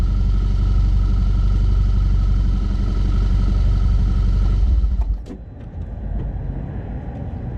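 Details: 2012 Audi A4 B8.5, S tronic/DSG, just over 120k miles: low rattling rumble only in reverse under load, fading as load drops, persisting after dual mass flywheel replacement; clutch badly burned out from a faulty mechatronic unit.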